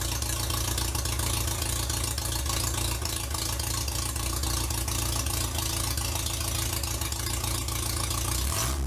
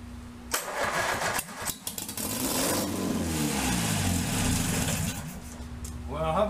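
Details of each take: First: 1947 MG TC XPAG four-cylinder, rebuilt after sitting about 40 years, first run on an engine stand with radiator and temporary exhaust; even, steady idle with soft exhaust beat, no misses or knocks; may need a little fine tuning but runs fine. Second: Starter churns on a 1947 MG TC XPAG engine, laid on its side about 40 years, now on a stand with carbs not yet sorted and no cooling water; it catches on squirted-in fuel, runs ragged with a cloud of smoke, then stalls when the primed fuel runs out.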